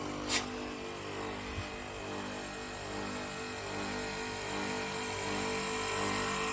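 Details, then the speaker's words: 2-horsepower York AC outdoor unit taken down, run without refrigerant gas and with the fan disconnected: steady droning hum with a buzzy shake; noise is louder when gassed and cooling, compressor vibrating on worn rubber mounts. "जब gas इसमें होती है, जब ये cooling करता है तो शोर की जो नोइयत है वो ज़्यादा हो जाती है।"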